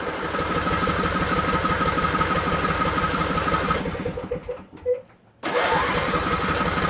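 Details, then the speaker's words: Riding lawn mower cranking: starter turns the engine over at about three even chugs a second with no firing, a pause, then more cranking; keeps turning without starting, check gas tank, out of fuel. "turn it over and it will just keep turning and turning in turn so check your gas tank to make sure that you have gas in it"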